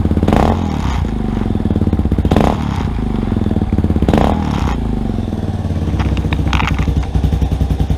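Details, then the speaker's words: Rebuilt Yamaha Warrior ATV single-cylinder, not yet broken in: thumps along at idle with three short, light throttle blips that rise and settle cleanly; normal running with light revs. "i'm gonna do a quick little time lapse for you guys while it's running and do a little bit a little bit of rev not too much i don't want to hurt it it hasn't broken in yet"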